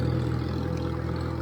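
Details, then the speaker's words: 1958 Farmall 350 tractor driving in a field after carburetor and fuel-tank flow fix: even, steady low thrum under light load, no surging or missed beats; gas getting through and running good. "gas is getting to it seems to be running good"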